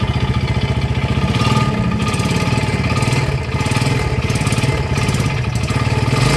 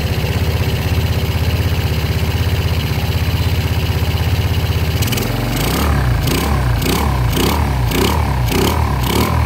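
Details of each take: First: Yamaha Jupiter Z, before repair, kick-started because the battery seems dead; rough idle with a heavy, regular knock about three to four times a second over the exhaust, no smoke, dry exhaust; worn connecting rod knock. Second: Yamaha Jupiter Z single-cylinder engine, oil refilled and oil confirmed reaching block and head; catches straight away and settles into a steady, even idle with no knocking, now very smooth unlike the earlier noisy engine.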